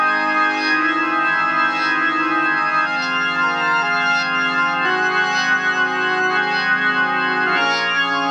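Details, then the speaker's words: Organ chords come through full and even, no crackle, fuzz or breakup, on the tube amp after replacing cheap 0.047 µF 1600 V and 0.1 µF 600 V capacitors with Cornell Dubilier caps; clean and healthy. "so let's see what this your amplifier sounds like now since I've made that change and I and I truly believe that we have we've resolved all the issues with your amplifier"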